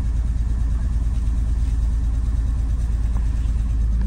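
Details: 2002 Porsche 911 Targa (996) after two years sitting, with a wet immobilizer and ICU repaired: deep even engine rumble with smooth rev rises, no knocks or misses, running healthy with no codes.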